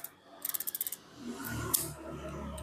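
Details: Baitcasting fishing reel: about eight sharp evenly spaced clicks in half a second when the clutch is worked; suspected kicker wheel assembly under the gear with red felt brake washer fitted upside down, before opening.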